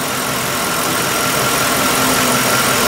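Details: 2003 Mercury Grand Marquis 4.6 L, high idle and P0507, after adjusting the minimum idle speed screw: steady, even idle hum with no knocks, surges or hunting; idle now holding smoothly.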